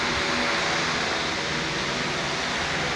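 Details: Pedestal fan on low speed being checked for an intermittent fault; steady even whoosh with smooth motor hum and no dropout before the main lead is flexed, which later stops the fan due to a faulty lead.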